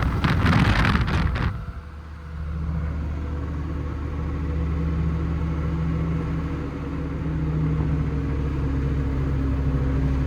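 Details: TRM 2000 diesel: a low, steady rumble with a loose, uneven beat about three times a second underneath; abnormal engine noise with the source not pinned down, suspected to be a bearing, an injector or the manifold.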